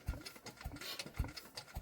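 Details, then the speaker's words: Rebuilt Douglas engine turned over by hand with the starting handle before its first start: steady, firm, even thumps about every half second, showing very good compression. "yeah we have very very good compression that is superb news"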